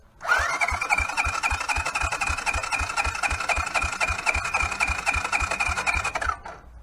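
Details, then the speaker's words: 1983 Honda Big Red 200 ATC after sitting a day, fuel on and choke on. Steady cranking at about four beats a second for six seconds, never firing; it had not liked to idle. Owner suspects the CDI box or the fuel system. "yeah it it still has nothing it could be that CDI box that a lot of times when they don't stay idling I found it's uh the CDI box"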